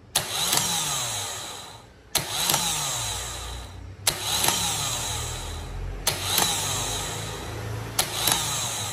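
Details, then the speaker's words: Chevrolet Vectra starter motor tested with direct positive feed: short whirring bursts roughly every two seconds that spin up and fade, cutting in and out; suspected bad contact from a loose screw, intermittent engagement. "Teve uma hora que eu que eu coloquei aqui o positivo ele meio que deu duas ativadas isso aí pode ser um mau contato tá"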